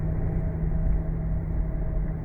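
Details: Driving with bad front wheel bearings: constant low drone under the road rumble, a steady hum typical of a worn front wheel bearing.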